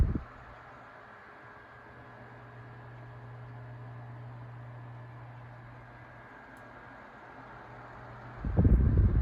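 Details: Tatung 12-inch LC-12 oscillating fan, likely 1980s, motor unopened, only blown out with compressed air and wicks oiled: soft steady hum and airflow while oscillating slowly and smoothly, no clicks or jerks; normal.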